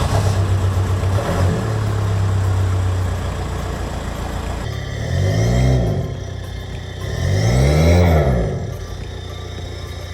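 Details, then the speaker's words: 2007 Audi A4 B7 1.9 TDI, rough-running with faulty injector, blipped three times: loud booming unmuffled exhaust roar after rear silencer removed and middle silencer found broken, leaving no silencing. "so in the process of removing the rear silencer we realized that the middle one was broken as well so at the moment the car has huge exhaust"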